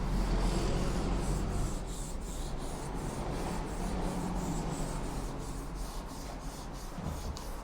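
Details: Japanese kitchen knife sharpened on a whetstone, with the angle held by the index finger, wrist locked and arm moving from the elbow: even, rhythmic scraping strokes about three a second, smooth with no catches. This is correct sharpening.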